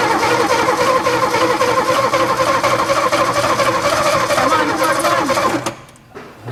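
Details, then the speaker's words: Abandoned 1961 Ford Falcon, choke slightly open, no vacuum advance: the starter churns about four beats a second with uneven compressions that never catch, then stops; cranks but won't start. "had to give it a breather yeah well it sounds like she's wanting to come come on oh come on come on come on come on come on ah try wide open now"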